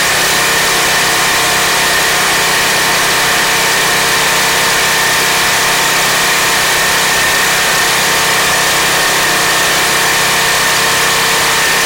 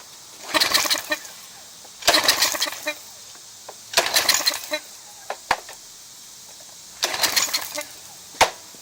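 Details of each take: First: Craftsman 2700 PSI pressure washer (model 580.752871), Briggs & Stratton 175cc engine, after fixing no-start by clearing a clogged carburetor jet, air filter cover off: steady, even single-cylinder run with no surging, hunting or dying; running healthy. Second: Craftsman 2700 PSI pressure washer, Briggs & Stratton 175cc engine (model 580.752871), no-start after owner changed oil and plug; air filter off, runs on ether starting fluid in short sputtering bursts then dies; has spark and compression, fuel starvation from clogged carburetor main jet.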